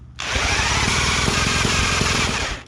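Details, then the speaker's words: Late-1940s Johnson Seahorse KD15 outboard, long sitting and run out of water, magneto at half, choke reduced, needing more fuel and priming; loud ragged firing with irregular pops for about two seconds, then it dies. Popping, won't keep running. "She's popping. Still popping. Come on, a little bit more fuel maybe."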